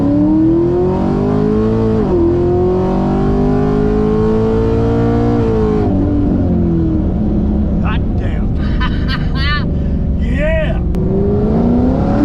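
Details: Engine during data-log runs after fixing misfire with new MSD spark plug wires: pulls up smoothly through the revs with even clean exhaust note, no stumbling or popping; healthy under acceleration.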